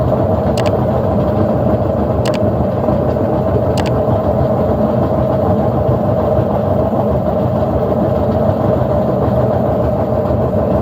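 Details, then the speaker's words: General Electric washer in spin, with its faulty timer advanced by hand because it won't progress. A loud, steady roar with a constant droning hum does not ease. The washer is very noisy when spinning; the likely repair is bearings and seal plus a timer check. "entonces la lavadora ya hizo su exprimido avanzando el temporizador y como pudimos darnos cuenta hace mucho ruido al estar exprimiendo"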